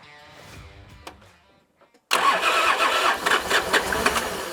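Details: Nissan Patrol diesel after reassembly, injectors cracked to bleed air from the fuel system. Slow, faint cranking, then a loud, ragged burst of firing that never settles. Air in the diesel fuel system; cranks but won't start.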